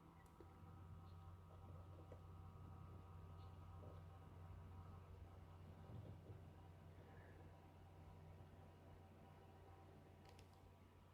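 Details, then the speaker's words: EVGA GQ 650 computer power supply, plugged directly into a wall outlet with Eco mode on, gives a loud steady low buzz with a hum underneath at power-on; the power supply is buzzing. "so I'm gonna turn it on foreign and you should now hear the loud noise coming from the power supply"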